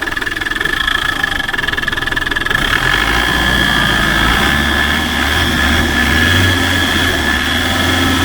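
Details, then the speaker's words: 1991 Land Rover Defender 110 diesel, 330,000 miles, after fixing the fan belt intermittently catching on the alternator: steady, even idle with no rubbing or catching; healthy. "That sounds better. Is it charging?"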